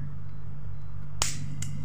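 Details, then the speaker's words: LG two-door refrigerator that would not freeze, compressor run with a clamp ammeter on the overload wire: low hum at about 2-point-something amps, then sharp clicks as the overload protector trips and shuts the compressor off. "jadi di sini terlihat dua koma berapa ya teman-teman ya lalu dia protek ataupun dia keluar punya detect lalu mati ya teman-teman ya"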